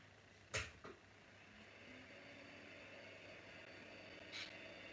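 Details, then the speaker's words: Commodore Amiga 2000 hard drive, powered directly, clicks with a few sharp knocks then only a faint hum, never spinning up; heads seem to hit an obstacle, so the drive is judged dead, cause not confirmed. "it feels like the hip tries to turn and it just hits an obstacle so that one is dead"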